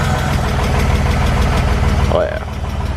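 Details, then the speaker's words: BMW E46 after rebuild, first time on the ground: heavy deep knock a few times a second over rough idle; bottom-end knock, spun rod bearing suspected, unconfirmed. "It's like definitely the bottom end. It's probably a spun bearing or some shit, dude. Rod knock."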